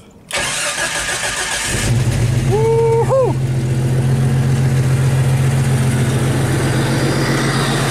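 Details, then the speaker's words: Jeep Wrangler YJ engine starting right after throttle body cleaning and reinstall with new gasket, out of gear: a quick crank catches immediately and settles into a steady, even idle with no misses or knocks, a normal start and idle. "and for those of you who just have to hear it start up and run let's do that"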